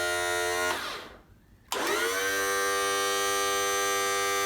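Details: 1986 Mercury 35 hp outboard tilt/trim motor after freeing stuck, dirty brushes and refilling fluid: electric motor whine falters and drops out briefly, then rises and settles; a little air still trapped in the trim hydraulics.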